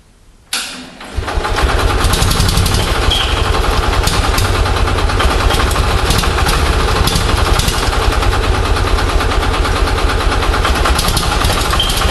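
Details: Onan 6.5 kW generator set running on an experimental Arduino Uno ignition driving a Toyota coil-near-plug pack: starts after a brief crank, then runs with an uneven, stumbling beat that never settles; the timing strobe shows the ignition timing jumping all over the place.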